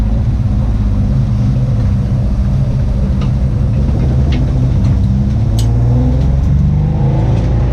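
Deep rumbling run under light revving with an uneven, lumpy beat that points to a misfire; the cause is unknown.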